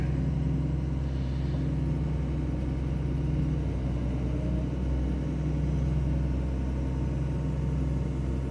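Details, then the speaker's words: John Deere 2054D excavator after swing motor replacement (leaking pinion gear seal), light unloaded swing: low steady hydraulic rumble with even drone, no knocks or grinding as the house swings; smooth and healthy. "we're turning let's go another way don't want to put a load yet just nice light turn yeah or turning turning turning nice"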